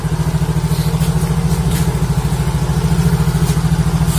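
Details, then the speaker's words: Yamaha Mio Soul GT YMZ FI, sat a week, after repairing fuel pump wire chewed through by rats (battery also charged): starts and idles steadily and evenly with no misses or rattles; running properly. "Oke, udah berhasil ya."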